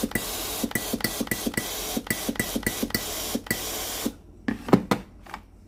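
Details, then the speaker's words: Philips PSG 7014 steam iron after control board replacement, testing: regular steam puffs about three per second, then irregular bursts; water pump and water valve working normally. "Apăsați butonul de alimentare cu apă. Aburul iese normal. Supapa de apă funcționează normal."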